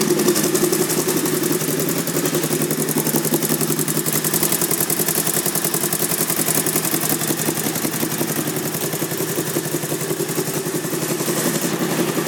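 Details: 2001 Honda VT1100C Sabre V-twin cruiser, just over 22,000 miles, steady idle with loud lumpy exhaust beat, louder than stock; baffles may have been removed, though pipes look OEM; unconfirmed.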